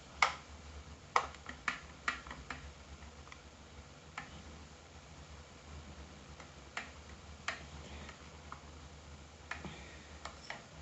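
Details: Sky-Watcher AZ-GTi mount with an RA clutch knob issue: sharp, light clicks about once a second, unevenly spaced, over a quiet room; the RA axis is clicking, cause unconfirmed.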